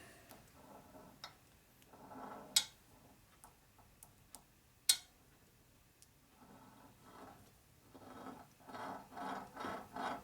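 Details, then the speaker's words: 1950 Harley panhead head being assembled, rocker arm turned by hand in its block after grinding: sparse dry ticks and rough gritty rubbing bursts when pushed either way, free in the middle; binding remains, needs cleaning and hand-filing of arms and blocks. "still there a little bit in the middle it's free it's just when you push one way or the other you'll hear you'll feel it much not sure if that really fixed or not find out come on don't ask can you put a note on the head damn bad don't like that gritty noise"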